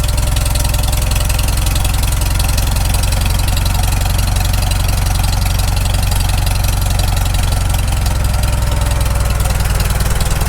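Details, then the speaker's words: Farmall Super M tractor after full engine rebuild, timing checked with timing light, low-idle carburetor adjusted, temperature just reaching the green: even low chugging idle, steady firing, no knocks or misses; normal idle. "right there it sounds pretty good just getting into the green"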